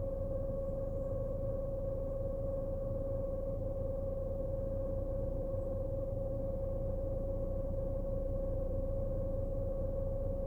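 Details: BMW Z4 E89 while driving: steady pure hum near 550 Hz over low road rumble from the rear; cause unidentified.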